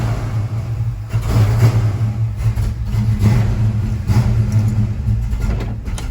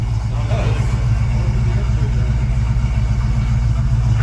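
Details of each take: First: Ford Mustang Mach 1, after fitting a bigger cranking coil: runs unevenly about six seconds, fades and dies. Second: Ford Mustang Mach 1 after replacing the overlong vacuum-advance screw that shorted out when warm: steady, even low rumble with no misses or hunting, idling smoothly, night-and-day better.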